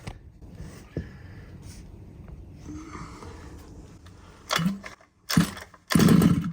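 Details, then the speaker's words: RC car small pull-start petrol engine with good spark after cleaning the plug: three sharp pull bursts, each a brief sputter that dies; tries to fire but won't catch, hard starting. "it's definitely trying it should really start you know within a couple of poles um if you don't then you know there's there's an issue"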